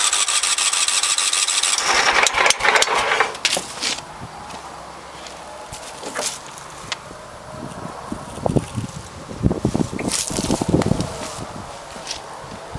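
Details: 17.5 HP Kohler engine, regularly maintained, 347.7 hours, previously repaired, won't start: starter spins it at an even cranking pace, then stops and clatters without ever firing.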